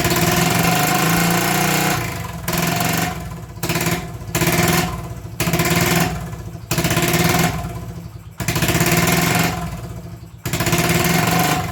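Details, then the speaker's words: 1980 Honda XL250S single-cylinder, unrun for six to eight months, started on starter fluid: races up hard in bursts, cut with the kill switch and caught again every second or so; engine over-revving, running away, cause not confirmed. "you probably saw me playing with the engine on and off switch just to keep it from over revving and killing itself having not run for six seven eight months"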